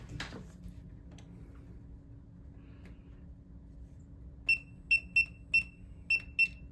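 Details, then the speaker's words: New replacement ULTRALOQ U-Bolt Pro smart deadbolt, keypad code entered after auto-lock proved the motor has power: six sharp high beeps in about two seconds, no bolt motor running. Code rejected; lock won't lock or unlock, cause unknown. "It just, for some reason, does not want to lock and unlock. Let's try this here again. Nope, won't do it. Try the code again."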